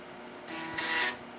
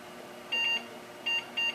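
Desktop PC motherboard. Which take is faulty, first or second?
second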